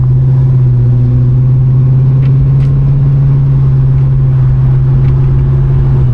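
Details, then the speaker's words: 1969 Pontiac LeMans convertible with new 350 engine on test drive under hard acceleration; deep even V8 drone holding steady under load, slight dip at end, no knocks or misses, not enough power to spin tires; normal engine under acceleration. "I think she's got enough power to sound good, but I don't think you'll get in trouble with her."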